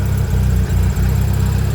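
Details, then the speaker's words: Honda RSX Type S after basic maintenance, hard to start: deep, steady low idle with an even beat and slight dips, no misses or knocks, sounding much better; a throw-out bearing noise with the clutch was noted afterward. "this sounds so much better what the hell it sounds a lot better"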